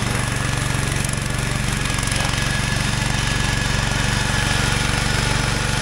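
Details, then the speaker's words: Wheel Horse 416 garden tractor after sitting for years, mowing with deck engaged: steady, even single-cylinder beat holding speed under load with no misses or knocks; normal running under load. "boy it would be awful hard to ask for anything better than that for free runs rides most perfectly"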